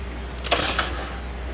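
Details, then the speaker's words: 2018 Mercedes CLA 250, battery at 12 V: few dry clicks on start attempt, no cranking; no power reaching starter, traced to failed battery current sensor (blown fuse). "so we have a car that seems as if it's not getting enough voltage from the battery to start the car"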